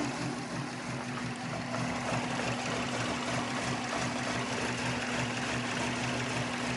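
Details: 2002 Subaru WRX at idle with a slightly uneven, lumpy pulse under a low hum and a -10 vacuum reading. The owner suspects a vacuum leak, or possibly a missing O2 sensor; the CEL shows no codes. Rough idle.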